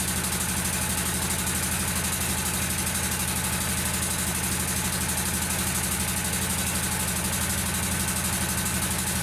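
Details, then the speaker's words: Kawasaki V-twin lawnmower engine with intermittent misfire: steady idle, pulses around three per second with a slightly uneven beat; intake manifold gasket vacuum leak found on one side, both gaskets to be replaced. "bviously there you've got a problem because that should be sealed"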